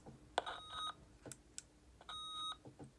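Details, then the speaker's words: Opus T1 radio volume knob turning: scratchy crackle bursts through the speaker between beeps, worse with squelch on; dirty switch not yet fully cleaned with WD-40. "it makes like a little crackling noise now that noise means that something is stuck in that pretty close to the mexican area"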